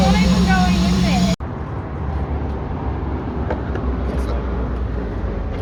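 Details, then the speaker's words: Holden Commodore VS with Ecotec engine, boiling coolant: engine shakes with ragged, stumbling idle and missing beats, running on few cylinders; misfire from blown head gasket. "yeah so she's running like a [ __ ] dog yeah she's running like a piece of dogs [ __ ]"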